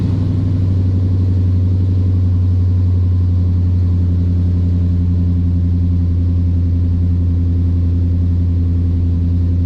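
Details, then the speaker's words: 2012 Ford Boss 302 V8 after long tube header and intake install with tune, idling with loud, deep, uneven rumble and puffing from a huge exhaust leak where the X-pipe doesn't match up. "Yeah, huge exhaust leak, but I'll get that fixed."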